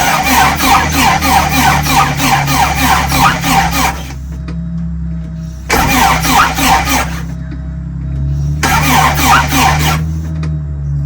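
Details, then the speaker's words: Porsche 944 with suspected bad ground, earlier no fuel and no spark despite 12 volts at injector connectors, spark uncertain, fuel in system: three bursts of even cranking, never catching; cranks but no start. "I don't know if I'm getting any I don't know if I'm getting any spark I don't know if I'm get any spark or anything I got fuel in the system one step at a time I guess"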